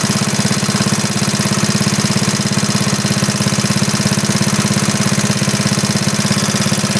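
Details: 1939 Onan DC generator after repair, running steadily with output about 116 V (rated 115) and no smoke. Steady, even thump at constant speed, about 100 beats a minute, no hunting or misses: normal steady running.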